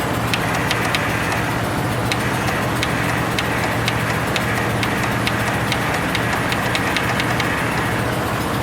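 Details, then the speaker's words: Cold start of an old machine with 579 hours, sticky starter, added fuel pump: steady churning drone with light rapid clicking, never catches; cranks, no start. "Seems like every time I want to video this one, it don't start. Oh, what the heck, dude. This is aggravating."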